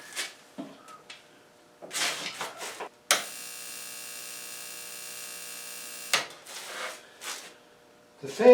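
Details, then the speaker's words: Mr. Heater 50K BTU shop heater (Princess Auto PA 50 DKR / MH 50 KR) in a shop at about −5 °C, −14 °C outside: switched on, only a steady electrical hum for a few seconds, no fan rush or pump ticking; fails to start. "the pump aren't running so what do you think of that i bought a heater to heat my shop in the first cold day i tried to run it it won't go"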